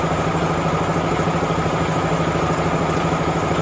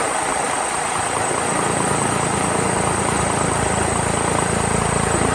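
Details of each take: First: DAF CF85 HGV diesel at idle: light, quick ticking clatter about three a second, an intermittent compressor-like noise; a problem was found once the cab was tipped and fixing it stopped the noise. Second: DAF CF85 HGV diesel at idle after fixing a compressor-like noise. Steady, even low chug with no knock or rattle; the noise is gone, with a slight exhaust blow remaining.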